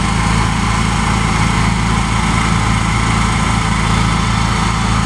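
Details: New Honda EU7000is generator, first startup and break-in run: smooth, constant low drone with steady engine note, no knocks, surging or rattles; running normally.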